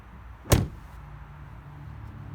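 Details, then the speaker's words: 2005–2009 Cadillac STS front door with new handle micro switches, keyless approach with the key: a single quick latch clunk as the handle is pulled, with no delay; the door opens normally. "I'm gonna approach the front door and as you can see it opened with very little hesitation"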